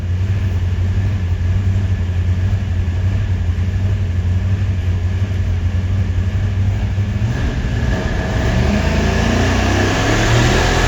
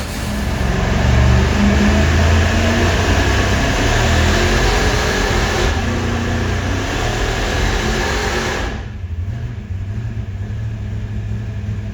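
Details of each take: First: Supercharged 483 big-block Chevy V8 on dyno pull: revs climb hard, then around 6,300 rpm it runs rough with irregular popping and banging; misfire. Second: Supercharged 483 big-block Chevy V8 warming up on the dyno: deep, even idle swelling in a couple of light blips then settling, firing smooth and regular; engine sounds healthy.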